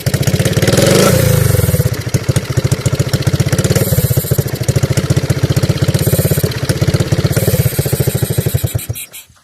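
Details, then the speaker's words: Honda Wave 110i single-cylinder after engine rebuild (second-gear noise, new gear and piston): starts easily and idles, but putters unevenly and stumbles on throttle, bogging and dying; injector suspected, not confirmed. "แต่เวลาเร่งดูนะครับเวลาเล่นจะดับอยู่เอาใหม่หรือเวลาเร่งเเล้วมันจะวาดวอนะครับ"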